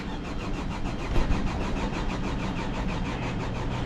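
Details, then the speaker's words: 2011 Hyundai Sonata crank no start: even cranking that never catches; the gauge on the high-side rail reads no fuel pressure and the rail is dry. "Yeah, we got no fuel pressure."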